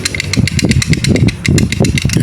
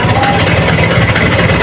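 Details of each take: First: Vespa Excel engine split open, clutch not yet installed and turned by hand: loose metallic clicking at about five ticks a second, a rattle from the clutch. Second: Vespa Excel two-stroke at idle after refitting the old clutch (a new replacement clutch had made noise): short, steady, even low putter with no slipping or rattle as the clutch lets out. Runs clean.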